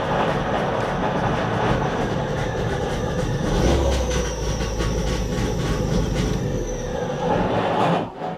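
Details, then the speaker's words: Trabant P60 after starter motor servicing, first start with choke out: harsh, steady grinding and rattle over the running engine that doesn't fade; owner suspects the starter isn't disengaging, not confirmed. "I don't think the starter actually disengaging now"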